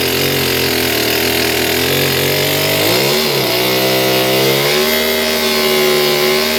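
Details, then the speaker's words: Stihl BG56 two-stroke leaf blower, restarted at wide-open throttle with choke off after being flooded full of gas: high steady wail sags and wavers briefly, then climbs back and evens out; rough running clearing after flooding. "Well, it's running good. It did sound pooch there for a few seconds. The motor didn't sound right, but then it came better."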